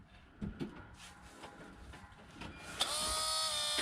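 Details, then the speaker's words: 2006 Mercedes Sprinter T1N with the key turned forward but not cranked: quiet, then a steady high electric whine holding evenly. This is a working fuel pump running normally. "you see guys this is a working fuel pump this was our problem"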